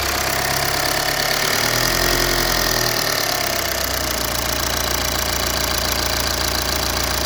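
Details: BMW E91 320d diesel, first start after high-pressure pump failure and replacement of pump and injectors, fuel system flushed and de-aired, adaptation values reset: steady, regular diesel idle clatter with no misfire or stumble.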